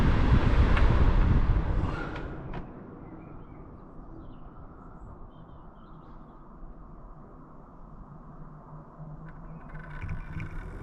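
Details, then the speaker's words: Titan twin-fan RV roof skylight cooler, newly installed, stop/restart button pressed from full speed: fan whoosh winds down to a faint hum then spins back up, one fan then the other; normal stop-restart cycle. "One fan stops first and starts back up, and the other one stops for second and starts back up again."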